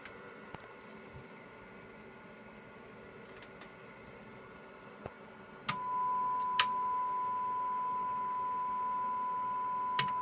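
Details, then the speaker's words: McIntosh MC225 tube amplifier after cleaning: steady clean mid-pitch test tone with no popping or crackle, just faint clicks; crackling gone, clean unclipped sine wave. "you nervous the crackling is gone so success on that"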